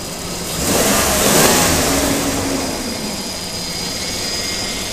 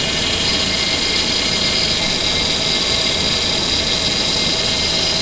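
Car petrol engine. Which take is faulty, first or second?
second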